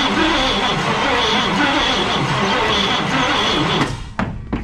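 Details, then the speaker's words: 1990 V3500 crew cab after sitting years in a field, fuel system replaced: slow, labored cranking about four beats a second that never catches; battery too weak, fuel likely spraying from throttle body. "i don't have enough juice no it's probably spraying all that gas out of the throttle body right now"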